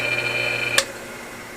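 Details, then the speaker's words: 1 hp 110V AC motor from air compressor, contacts cleaned: motor hum cuts off with a sharp click at shutdown then another click while winding down; centrifugal switch working normally. "alright so now we know that the centrifugal switch is working perfect we heard it we've already cleaned the contacts we know it's getting a good contact"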